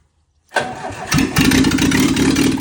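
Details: Lada Niva 2121 first start after repair: brief crank, then the engine catches cleanly and settles to a steady, even idle within a second; normal start.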